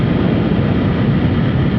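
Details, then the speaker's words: Sur-Ron Ultra Bee electric motorbike with standard primary belt and standard chain, riding downhill at steady speed: low drone with a faint whine and some wind noise, not loud; belt and chain drive sound normal. "This is standard belt, standard chain. There's a bit of wind noise, but you can hear it, but it's not loud."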